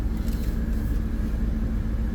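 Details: 2020 Chevy Blazer 3.6L V6 AWD after OEM coolant temperature sensor replacement and a battery disconnect: steady low idle with an even background hum, no ticks, misses or squeals, at 200° operating temperature with AC on and no check engine lights; normal idle.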